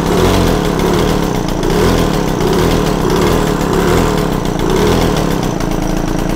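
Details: Yamaha TZR 250 3XV two-stroke twin, warmed up, one spark plug out so a single cylinder runs while its air/mixture screw is set to cure carb imbalance (cooler-running side); steady buzzy raised idle with slight rhythmic swell, idle to be reset to 1500 rpm.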